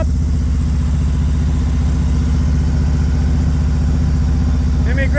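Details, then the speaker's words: Spanky's motorcycle after years sitting, now warmed up after first run following rear wheel and sprocket work: steady even low thump at idle, about two-and-a-half beats a second, no misses or knocks, sounds better: normal warm idle. "Yeah, that sounds a lot better. Put some miles on that baby."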